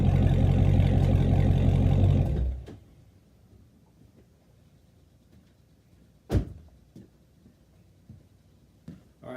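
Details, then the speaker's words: Active exhaust with deleted mufflers, about 3,000 miles: after greasing the squealing flow valves with white lithium grease, deep even rumble for two seconds before shutdown, no squeal; exhaust sounds healthy, fix worked. "so take my word for it the noise coming from the valves the squealing noise is now gone there is no more noise so all I gotta say is it did work"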